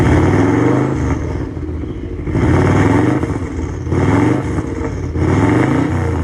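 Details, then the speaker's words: 2002 Subaru Legacy B4 twin-turbo automatic, long parked outside, started on a flat battery and revved: surges every 1.5 seconds with clattery, uneven running; clearly unhealthy, cause not identified. "Good reason why this is the cheapest"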